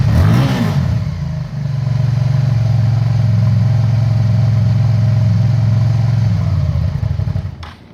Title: 2001 Suzuki SV650 Engine Misfire on Cold Start